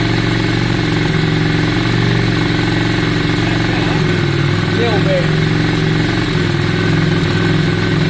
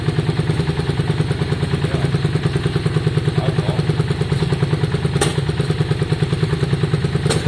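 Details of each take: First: 2002 Yamaha Virago V-twin after carburettor cleaning, tank clean and fuel primed; steady, even idle with smooth low thump, no misses or hunting, sounds much better. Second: 2002 Yamaha Virago V-twin after carb and tank cleaning and new plugs, started on a bit of choke. Even loping idle around three beats a second with an occasional sharp exhaust pop or spit; owner suspects swapped plug leads changed the firing order.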